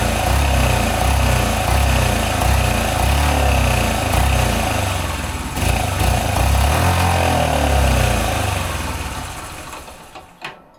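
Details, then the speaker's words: 1983 Honda CF70 Chaly off the road for 35 years, started on sprayed fuel with no working carb: small single catches and putters at a steady beat of about four a second, then dies away; the rear wheel spins, so the clutch seems okay. "got it started, that's the main thing. It runs, the back wheel spun, which means the clutch seems to be okay"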